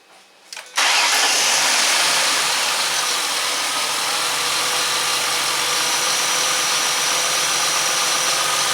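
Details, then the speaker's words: 2005 Ford Mustang 4.0 L after repairing bad cam sensor connector (had misfire, rough idle, intermittent no start, P0340/P1336): cranks, catches within a second, settles to steady even idle; sounds much better, fixed. "Sounds much better."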